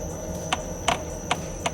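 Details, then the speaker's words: Audi A4 B8 on a vibration test stand: sharp creaks repeating about every 0.4 seconds as the suspension works; coil spring squeaking against its worn upper rubber seat, and the creak stops when the spring is compressed. "По диагностике выясняем, что скрипит пружина."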